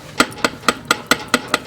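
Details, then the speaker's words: Fiat Palio strut over potholes: sharp hollow knocks about every quarter second, one per jolt, no engine underneath; worn plastic cap on the strut bump stop slapping the metal strut top mount, which shows wear marks. "quando passa os buracos bate lá e ele bate tão fácil lá naquela essa aqui ó ele tem uma tampa de plástico aqui em cima do batente e ele bate lá naquela parte de ferro lá"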